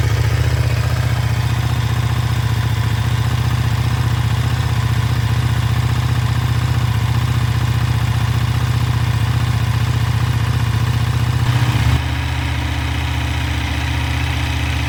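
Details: KTM 1390 Super Duke twin on the stock exhaust, cold start after sitting for quite a while: a steady, throbbing idle with an even pulse and no knocks or rattles, settling in cleanly, healthy.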